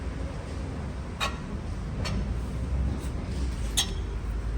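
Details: Land Rover Discovery 4 rear brake, freshly self-replaced pads and disc, wheel turned by hand after freeing it up: faint light clicks about once a second over a low hum; source possibly on the outer side, cause unclear.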